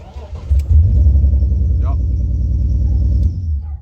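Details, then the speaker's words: BMW E46 drift build: engine revs with an uneven, stumbling low pulse about four beats a second that never smooths out; persistent misfire, cause not yet diagnosed. "it's still missing so we need to get that sorted but that will probably be start with the next video"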